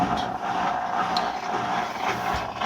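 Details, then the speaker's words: Kenmore washer on drain-and-spin: a steady motor whir with no tub rumble or traction. The drive assembly has come apart because a bolt on the spin shaft came loose, so the motor spins unloaded. The washer won't spin and had grinding or growling. "when it hits that it spins up that motor you don't hear anything you hear the motor spin up no traction like you normally should hear"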